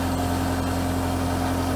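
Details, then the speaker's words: Sky Track telehandler diesel after warming up from cold start: took a while to reach temperature, now idled down to a steady, even low idle with no knocks or misses; normal warm idle. "so it took a little while probably had to come up the temperature but now it's idled down"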